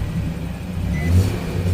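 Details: 2014 second-gen Nissan Frontier revved to a certain RPM: low buzzy vibration/rattle from an exhaust heat shield whose clamps had rusted loose; fixed with stainless steel hose clamps.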